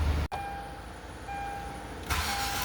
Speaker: 시동 껐다가 다시 걸으니 굉장히 늦게 걸리네요.